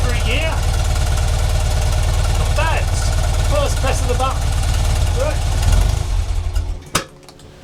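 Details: 1975 BMW R75/6 boxer, about 140,000 miles, on first start in over a year: low lumpy idle thumping about 220 times a minute, then shut off; runs fine.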